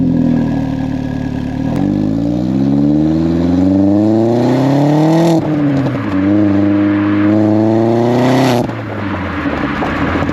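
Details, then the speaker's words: Astra H VXR on the road after replacing a holed sports cat with a Cobra exhaust and refitting the pre-cat decat pipe, V-band clamp done, no smoke seen: clean rising tone through the gears with crisp shifts, no leak puffing or ticking; exhaust sounds good. "How's that sound? Pretty good, methinks. So that is the exhaust done, something unexpected, but it was something that needed to be done and has given me the excuse to get my pre-cat decat back on the car, and I do think that makes a really big difference to the sound of it."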